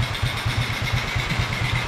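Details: 2009 Kawasaki Fury 125 (125cc air-cooled 4-stroke SOHC single, carbureted), 17 years old: steady idle with even regular pulses about eight per second, no misses or stumbles, just after replacing the worn 7-year-old carburetor with a new one; starts first click, healthy idle.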